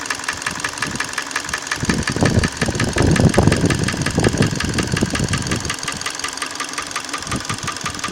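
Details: Hyundai ix35 petrol engine at idle: irregular knocking about two or three a second, rising in a patch over the idle; engine knock, cause unclear.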